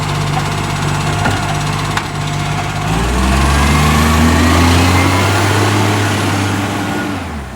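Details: Acco garbage truck with Bucher body collecting garbage: diesel idles then revs up under load, with a rapid raspy puffing riding the exhaust note; exhaust leak.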